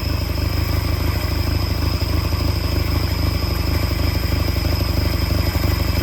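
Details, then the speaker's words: Peugeot 403 pickup engine first started after over 20 years abandoned, throttle butterfly freed: low, lumpy idle with uneven beat about three per second; one cylinder seems weak, cause suspected, not confirmed. "Bon, allez, ça tourne, il y a un cylindre qui doit pas trop trop bien donner."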